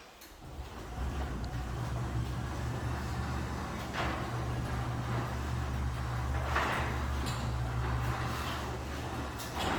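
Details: Newly installed LiftMaster 8160W Wi-Fi DC-motor garage door opener on an 8 ft chain rail, soft start and soft stop; smooth, steady low hum with no rattle or jerking, quiet and smooth, normal operation.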